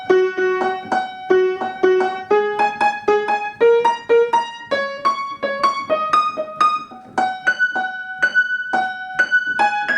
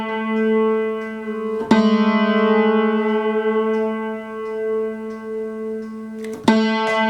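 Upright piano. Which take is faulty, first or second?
second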